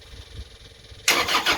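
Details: Timberking sawmill after clutch bolt removed, cleaned and retorqued to 45 ft-lb for loss of hydraulics, key on and green button held: quiet crank, then engine fires abruptly and runs strong and even with busy mechanical clatter; normal start.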